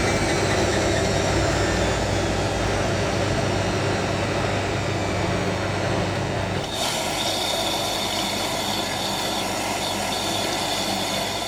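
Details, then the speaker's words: Hotpoint 9530 Electronic 1000 Plus washer, twin bedding load, after repair of burnt mains-lead neutral wire and new timer, second rinse spin: steady whirring with even hum, no imbalance thumping; smooth balanced spin. "I'm impressed with how smooth that spin actually is."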